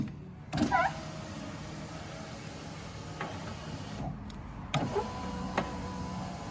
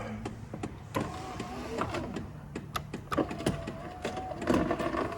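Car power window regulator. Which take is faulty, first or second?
second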